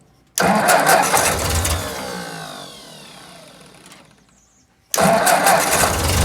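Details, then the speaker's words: 1955 Ford 660 tractor, cold start with clutch down, a little throttle and choke: fires up loud, runs ragged and uneven, fades, then catches again, hitting on only three cylinders; cold-start misfire on a cold-natured engine. "Anybody who's been around these old Ford tractors knows they're all pretty cold natured. Hitting on 3 cylinders."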